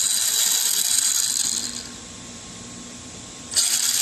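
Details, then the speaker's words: Transmission after moving the motor mount so its screws no longer rub the pinion: thin, high gear whir with a faint tick about four times a second; mesh looks right by the paper method but still sounds off. Gear mesh noise. "The mesh looks like it's perfect as far as the paper method goes. And I don't know, it still sounds like it's not."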